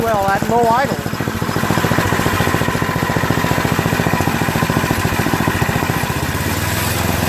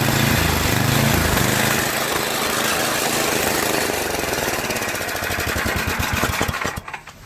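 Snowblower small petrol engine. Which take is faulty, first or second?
second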